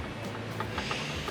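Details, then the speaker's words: Jeep differential rebuild with 4.11 ring and pinion, gears rocked by hand during setup: few light uneven metallic clicks; too much backlash, fix by moving a shim to shift the crown wheel toward the pinion. "just got a bit too much backlash there you can hear that hear that backlash rattle"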